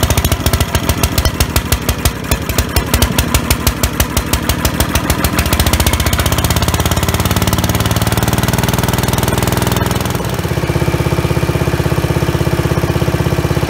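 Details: Old Dayton small single-cylinder generator first run after replacing fuel line and fuel filter, cleaning gas tank, checking oil; thumping settles into fast steady run with even exhaust beat, no knocks; normal running.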